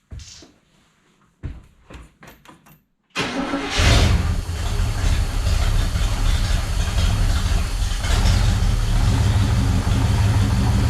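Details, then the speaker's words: 1974 International pickup after years of sitting, carb bowl filled, choke held with vise grips, Seafoam added to the fuel: brief crank, catches, then a low lumpy idle that stumbles, surges and chokes; runs rough only on choke. "oh yeah I dumped some seafoam in that jug too so hopefully she'll get a little bit in her sounds like she's actually kind of choking now"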